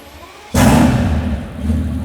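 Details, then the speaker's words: Mercedes S65 AMG, M279 V12, first start after full rebuild following oil starvation seizure: sudden thump of ignition, then a deep, even rumble that settles and holds; starts promptly and runs cleanly, normal. "Yes, man, come on! Beautiful! Beautiful, beautiful, beautiful. Just like that. Come on, man. And she sounds sweet and amazing."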